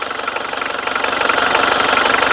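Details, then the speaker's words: Mitsubishi Strada 2.5 Mega Cab diesel idles steadily and evenly with a fast, regular clatter and no misses or knocks. There is no white smoke and it reportedly drives long distances normally; engine sounds healthy. "รถไม่มีควันขาวนะครับผมขับทางไกลได้ปกตินะครับผม"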